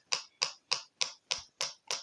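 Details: Two-transistor BJT tone generator with a salvaged music-box speaker in place of the LED (collector to negative rail): sharp even pops about three per second, the oscillator running normally at low frequency before another capacitor is added.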